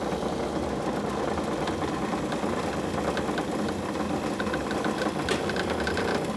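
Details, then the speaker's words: 1953 Magic Chef 9,000 BTU room air conditioner with a Tecumseh B series compressor and a missing rear case. Steady compressor and fan hum with light, irregular tinny rattling; source unconfirmed, owner notes the sheet metal isn't very tight. "Now it is going to rattle a little bit, but it does work. The source of the rattling, I'm not 100% sure on it yet."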